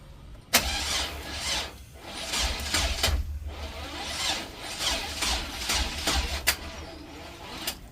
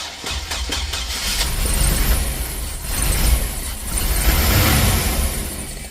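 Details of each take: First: Chevrolet Express van, smoke seen while cranking, part replaced: starter whirs in repeated bursts with hissy rises but engine never catches; crank no start, owner suspects distributor. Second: Chevrolet Express with crank-no-start and smoke from the distributor, after fitting a replacement distributor: engine fires and runs with a steady low rumble, revs rising and falling slightly; starts and keeps running, distributor believed the problem.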